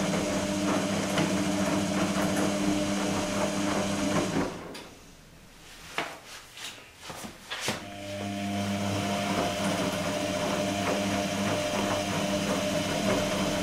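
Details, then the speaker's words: Electrolux-Rex RWP 1273 TFW washer on the 60° energetic wash phase, long rotations with short pauses: steady motor hum with soft rhythmic sloshing, a brief pause, then the drum turns again evenly; normal wash tumbling. "questa fase del programma prevede come possiamo vedere delle rotazioni lunghe intervallate a pause brevi"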